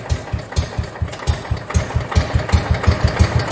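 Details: 1969 John Deere 112 Patio tractor single-cylinder engine after starter repair, fuel pump bypassed, choke used: catches straight away and settles into a steady, even chug around two beats a second; healthy start and idle.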